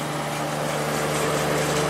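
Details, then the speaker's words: Late-90s Whirlpool Accudry 40-pint dehumidifier (reciprocating compressor, Emerson fan motor), about 10 minutes running: constant low hum with steady mid-pitched drone, no rattles or cycling; evaporator nice and cold, condenser warming; sounds healthy. "Whole thing is nice and cold. It's been running for about maybe 10 minutes now."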